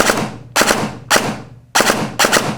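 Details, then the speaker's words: Novritsch SSR9 airsoft gearbox after the motor-height screw in the grip was turned out by half turns from too high: five crisp, clean bursts with no shearing or clacking, so the pinion-to-bevel gear mesh is near optimal. "Okay, now it sounds way better. Now at this point, we can adjust it a little bit more up, more down to optimize the sound. The sound we're looking for is very clean. It should not be shearing. It should not be clacking around."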